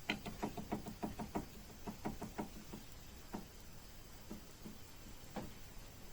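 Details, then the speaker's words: Lincoln Navigator 2 steering rack removed and rocked by hand: sharp metallic knocks about three a second that thin to occasional taps as the adjusting nut takes up the play. "берем рейку и начинаем его качать слышно да стучит и качаем и потихонечку гаечку поворачиваем пока стук не уйдет"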